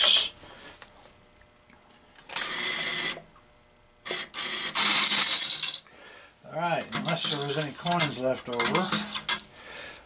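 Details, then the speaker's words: American Changer AC-400 change machine, Pyramid Apex bill validator, original Compact Hopper (800 quarters): bursts of metallic clinks as four quarters per dollar drop into the tray, motor whir between; dispensing normally. "It's almost to the point where I can kind of hear how many coins come out."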